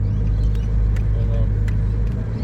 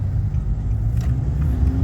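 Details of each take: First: Nissan Navara 2.5-litre manual diesel, 226,000 km, no work done, flat out under hard acceleration: deep drone with scattered sharp rattly ticks and little power above 3,000 rpm; suspected carbon-blocked intake, needing a decarbon. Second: 2013 Nissan Navara D40 YD25 2.5 turbo diesel with 240,000 km, driving after intake manifold decarbon and EGR cleaning: a deep, even rumble under load with no misfire. Normal acceleration, smoother with more power across the rev range.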